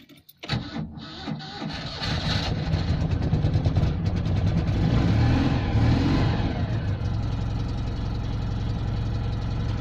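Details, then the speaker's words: Citroën 2CV started from cold after winter storage: uneven cranking with a dragging, sticky-sounding starter motor before the engine catches and settles into a low idle; the cause is not confirmed. "like the sound of that starter motor that sounded a bit sticky"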